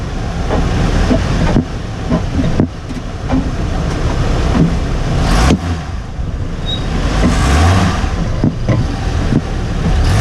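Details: Hummer H3 driving: irregular dull clunks, a few each second, over road rumble from the front end; a recently fitted front diff bushing is suspected to be fitted incorrectly or of poor quality.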